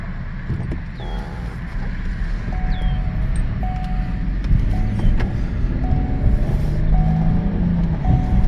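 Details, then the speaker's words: 2016 Lincoln MKX AWD SUV after rear differential replacement, road test with wheels torqued; only soft low road rumble while cruising, no whine or howl from the rear, differential now nice and quiet. "yes this thing is back nice and quiet as a Lincoln should be nice and quiet"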